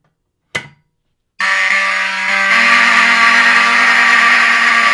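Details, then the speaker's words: Vintage Wheelock 7002T horn strobe after final pull-station activation: sharp pull click, then steady shrill horn tone that stutters briefly as each strobe flash draws power from the horn, causing its known skipping. "the Wheelock 70002 ts are kind of Infamous for their skipping that they do which you might have heard that where the horn kind of Skips and the reason it does that is because every time the strobe flashes it takes up some power from the horn"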